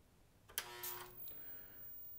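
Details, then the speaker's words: 1990 Sony PVM-1343MD Trinitron CRT, water-damaged, first power-on after cable replacement, Sega Genesis on RGB: click, loud degauss thump fading, thin 15 kHz flyback whine; normal power-on. "it definitely sounds normal you can hear the 15 kilohertz whine you heard the grong from the automatically gauzing and you can hear those electrons starting to go in that tube"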